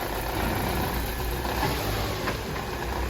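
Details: Opel Astra J 1.6 petrol engine idling cold with an uneven, lumpy, shaking beat. The misfire is worse when cold and was traced to burnt valves. The car also burns oil.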